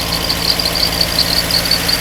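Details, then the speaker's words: Mercedes W201 2.5-16V manual, parked for years, hot, on an external fuel tank with return flow only about 1.0 L (standard over 2): fast idle over 1000 rpm with an uneven, wavering beat, hunting from insufficient fuel supply. "It's currently running at over a thousand RPM. The engine is also unstable. This is caused by insufficient fuel supply."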